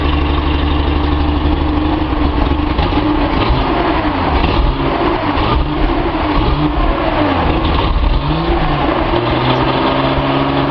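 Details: Nissan 280Z inline six on a test stand, lukewarm, after correcting distributor trigger signal polarity, suspected cause of chugging and poor idle: fairly even idle with throttle blips, no chugging or misfire; running sweetly.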